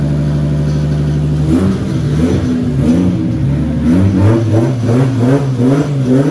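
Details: Nissan 240 with newly installed stock 1GZ engine, restarted after an initial misfire cleared (owner thinks old fuel flushed out): steady even idle hum, then clean blips with smooth pitch rise and fall, no knocks or misses; healthy engine.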